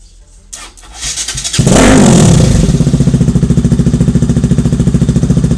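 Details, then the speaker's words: Kawasaki RS200 motorcycle that wouldn't start (owner suspected stator), started by temporarily bridging two wires plus throttle: quiet, then engine catches with a quick rev and settles into even idle about three and a half beats a second; starts fine. "and so Ayun lang temporary solution lang para mapaandar yung motor niyo So ngayon pakit na natin yung ah starter natin dito sa motor And that's the solution para umandar yung motor niyo gamit lang to itong dalawang wire na to"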